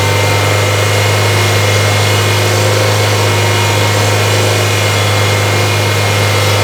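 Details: 1994 Toyota Celica with an intermittent battery light, idling with AC off and blower on low during charging-system testing: a thin whine comes and goes over a steady idle hum without the revs changing. Alternator whine ('singing').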